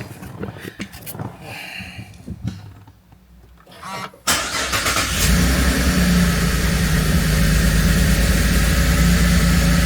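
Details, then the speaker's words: 2017 Holden Commodore SV6 with LFX V6 on its first start after an oil and filter change and six new aftermarket iridium spark plugs: cranks and catches with a slightly lumpy, rough idle that then settles smooth; cause unexplained. "It was running a little bit rough at the beginning. But it's nice and smooth now."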